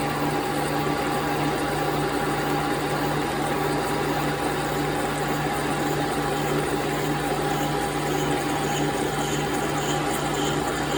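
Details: 1930s 3A Brown & Sharpe universal mill, 6-inch 42-tooth arbor cutter at 105 rpm and 16 in/min table feed, cutting a 5 mm wide by 3 mm deep slot in delrin: steady low hum with fine even tooth chatter. Normal, clean cut.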